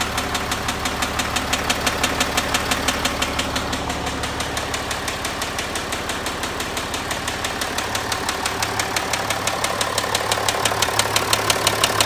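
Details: Land Rover Discovery 4 with 64,000 km at idle: steady, sharp ticking knock about three times a second; owner attributes it to crankshaft failure.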